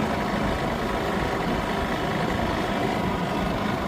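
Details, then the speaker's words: Old Yamaha golf cart, not run for about a year, cold: steady low drone with an uneven lumpy beat, engine kicking in and out, surging, occasional misses at idle. Owner thinks it needs warming and a tune-up. "So I can hear the engine kind of kicking in kicking out here and there."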